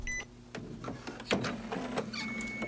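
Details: Epson printer at power-up releasing its plastic printhead lock (which keeps the carriage from moving left): short motor whirs, soft clicks and a brief high whine as the carriage frees; the lock releases normally.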